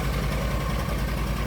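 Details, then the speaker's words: Argo ATV after winter-storage no-start repairs (upgraded carburetor), running with no jumper wires after the fuses were replaced: low, steady idle thump with an even beat and no misses or knocks. Normal idle. "that and it is running. No jumper wires, no dinking around."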